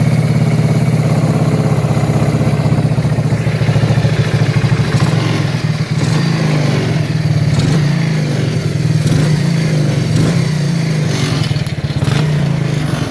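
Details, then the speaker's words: 1984 Kawasaki Prairie KLT250 barn find, fresh fuel, jump pack at 12.6 V, no air filter: rough, uneven single-cylinder run with sharp pops coughing back through the intake, running lean and popping back through the carburetor. "hey what does a sound damn good that popping back through far you're running lean no air filter"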